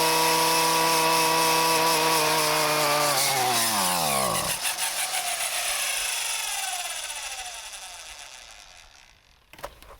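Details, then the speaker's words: Husqvarna 128CD two-stroke trimmer after a parts replacement: buzzes high and steady, then the revs sag until it dies within five seconds; dying after revving, and the owner suspects an untuned carburetor. "Well, she's still not happy. Alright, so I did some digging, and it turns out this guy is for adjusting the idle screws on the carburetor. And I think our problem is simply carburetor isn't tuned."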